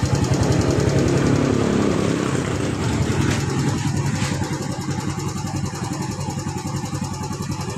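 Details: Yamaha Vega ZR motorcycle after a carburettor repair, with the settings adjusted and the choke part altered: the small single settles into an even putter of about three and a half beats a second, steady and clean. Now idles properly.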